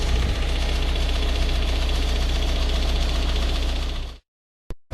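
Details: Ford Focus 1.8 TDCi 115 diesel at idle: a steady, rattly tick of about three per second; shaky around 1000-1100 rpm, louder after about 10 minutes of driving and more rattly when driving; diagnosed as a faulty high pressure pump.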